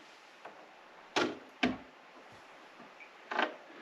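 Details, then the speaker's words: Naim Audio CD player (CD3/CD5/CDX type) manual door mechanism: sharp metallic clang/twang with ringing tail on closing, common with age, from a sagging ribbon cable; doesn't affect playback, easily fixed. "There's a clang as you close it, like there. And that's quite common. See it on CD. Basically all the players with this mechanism. As it closes, you get a twang as you close it."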